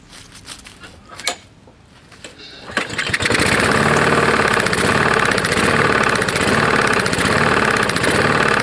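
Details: Roadside-found Lawn-Boy mower, 149 cc non-OHV engine: failed pulls, then it runs with a harsh, rapid clatter; owner suspects a bad lower end or piston hitting the head, possibly from ingested dirt and grass; unconfirmed.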